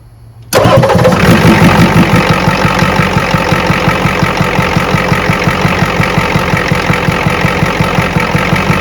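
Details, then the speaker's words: 1986 Ford F350 6.9 IDI diesel after the load-test-failed battery was replaced: fires instantly on the key and settles into a steady, even idle clatter. Normal start. "Just like that, after one defective battery, you're gonna run a key engine. It fires immediately."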